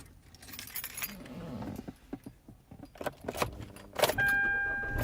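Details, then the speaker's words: 2013 Kia Soul that often won't start until the automatic shifter is smacked fully forward into park; keys rattle, engine catches on first crank and settles to even idle over a dash chime; normal start. "car starts right up [Music] why that is I do not know"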